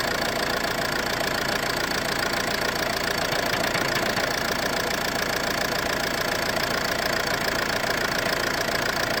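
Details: Ford C-Max at idle: steady rapid knock, roughly three or four a second, riding over the idle; owner suspects the flywheel, source unconfirmed.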